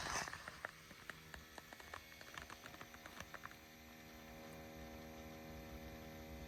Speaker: all right if you hear a buzzing sound coming from the passenger side rear that's actually an evaporation pump and it happens about five hours after you stop the car it'll run for about 15 minutes